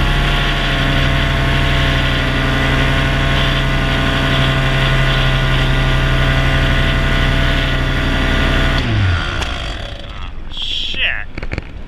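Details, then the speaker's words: Used Blackhawk 125 paramotor in flight on one of its first flights: a steady high two-stroke drone abruptly dies about nine seconds in, leaving wind noise. Engine cut out; owner doubts he hit the kill button and evidence points to a carburetor issue. "I got an engine out."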